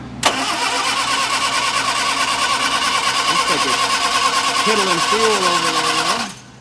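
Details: 1961 Sunbeam Alpine II with carbs just refitted (new needle and seat, throttle shaft play addressed), chokes held open, linkage not connected. Quick crank, catches, runs unevenly about six seconds and dies: rich, stumbling flooding carburettors.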